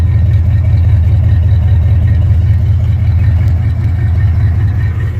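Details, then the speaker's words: 1974 Ford F250 project truck V8 at idle after fuel line work. A deep, steady rumble with an even beat and no misses or knocks; sounds better than before, a normal idle. "definitely sounds better now see if you can hear it"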